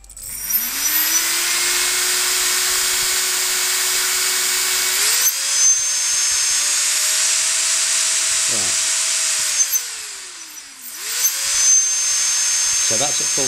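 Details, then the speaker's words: RC helicopter 450 motor on a Scorpion 45 A ESC, sitting on the ground: motor whine climbs then holds lower on full throttle, revs not increasing and bogging under load; re-blipping from zero gives more RPM; owner suspects the ESC. "you be able to see is that at times when I move the throttle stick to the maximum position I'm not getting any increase in revs"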